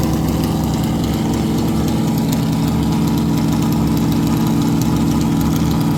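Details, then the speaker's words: Stock 440 Mopar big block from a camper, in a Chevy K10, with the biggest cam that fits, at about 700–800 rpm idle, gauge about 175°F: choppy, stumbling idle under the cam lope. Misfire suspected from two plug wires with bad spots, or too little rpm over the cam; new wires planned. "We think the one plug wire had a little bit of a bad spot in it. Actually, two of them did. We're gonna put new plugs on or new wires on it, but we think that's why it's misfiring."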